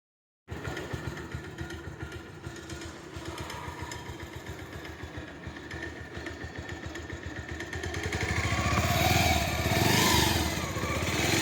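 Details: Bajaj Pulsar 150 single-cylinder engine runs with a rough, uneven beat near two and a half per second and a rattly edge rising with revs; abnormal engine noise.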